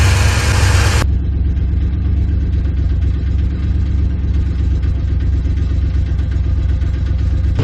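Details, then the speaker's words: 1997 GMC half-ton short bed, 5.7 V8, automatic, idling: deep idle with a slightly uneven, lumpy beat and the odd stumble; rough idle, owner suspects it needs a tune-up, earlier fell on its face, cause unconfirmed. "sounds like to me it just needs a little bit of a tune-up so it's kind of got a little bit of a rough idle"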